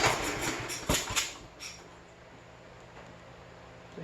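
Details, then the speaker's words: An abandoned 2007 Troy-Bilt riding mower after a fuel-filter change, with so much gas reaching the carburetor that it ran out. A few ragged firing bursts, choke off, then it dies; owner concludes a fuel delivery problem. "okay so we have a fuel delivery problem obviously"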